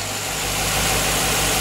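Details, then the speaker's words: 2007 Chevy Tahoe 5.3L V8, first run after engine replacement, parking brake on; smooth, even idle with steady low hum, no knocks, ticks or misses, no leaks or warning lights; normal idle. "I don't see any leaks. Look up front. But there sounds like a new engine."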